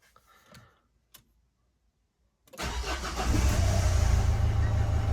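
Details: Renault Kangoo diesel with a no-power complaint, after reassembling the accelerator pedal sensor and wiring: near silence, then the engine catches in about half a second and settles into a steady low rumble with no stumble; clean start.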